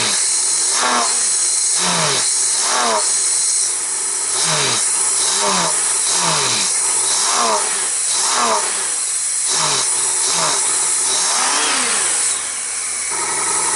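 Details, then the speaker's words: Honda GL1500 Goldwing after carburetor clean with accelerator pump and idle fixed, not warmed up, on full choke after slight hesitation; repeated blips rising and falling cleanly without stumble; normal revving. "oh we got the accelerator pump fixed and the idle fixed so maybe with the air cleaner on it just needs a little bit of drag from that"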